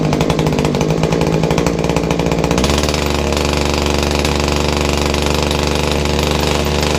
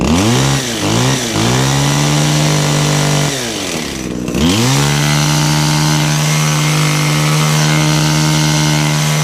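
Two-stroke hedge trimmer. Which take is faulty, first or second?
first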